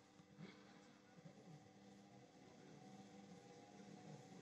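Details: Indesit washing machine on spin: a steady low hum and rumble builds as the drum speeds up, from worn drum bearings; fixed by replacing the bearings in a non-separable tub.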